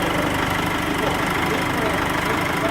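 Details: Nissan Frontier 2.5 diesel that had stalled when cold and had engine noise, after repair: steady, even diesel clatter at idle with no extra knock or hunting; engine sounds healthy.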